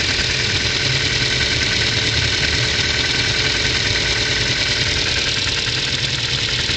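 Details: 2010 Ford Focus 2, 1.6 L 100 hp, cold start: light fast metallic tapping over cold idle, following engine speed, disappears once warm; owner suspects valve clearance needing shim/bucket adjustment, unconfirmed.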